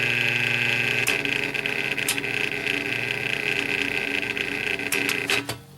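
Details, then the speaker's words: 2013 Aerospeed fan: a steady high-pitched whine rides over the motor hum until it switches off. Worn motor bearings suspected over the capacitor; the motor later smoked and burned out. "okay so I'm dismantling the arrow speed a bit to see if I can fix this motor as we saw as I said in the last video I thought either two capacitor or - Behringer bed and a lot of it seems to point more to the bearings especially with this type of sound I mean listen to this"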